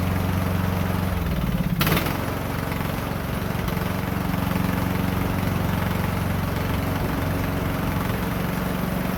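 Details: Poulan Pro 18.5 HP lawn tractor that quit in use, after oil change and a new push rod: brief start-up surge, then a steady even single-cylinder thump, no knocking or misses; works good.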